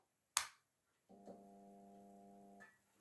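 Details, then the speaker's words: Fitzgerald 4 ft fluorescent striplight, T12 GE tube, magnetic ballast, restarted warm: sharp starter click, about 1.5 s of steady low mains buzz, another click, then tube lights with cathode ends glowing; normal start. "wow as you can see looks like the ends are the cathode's nearly fully lit up and that's what it does and that's because it's a magnetic startup ballast"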